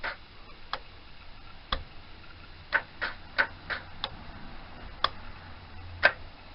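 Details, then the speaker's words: Yamaha FZ400 project after a fusebox install, with the old ignition refitted: sparse, uneven single clicks every few seconds and no cranking. Starter engages but the engine never turns over; a voltage issue is suspected. "but it's honestly not doing too much seems to be down to the starter motor and then stopping so it could just be about to voltage issue"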